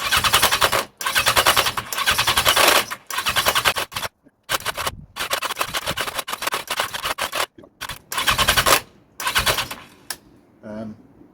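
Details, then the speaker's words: 1982 Yamaha XJ750 cranking on starting fluid with air filters fitted: harsh metallic rattle in bursts, no firing at all; owner attributes the rattle to the starter clutch. Spark present on all four cylinders, compression untested and suspected low. "hear that rattle that's the um starter clutch I can't even get a cough with s fluid"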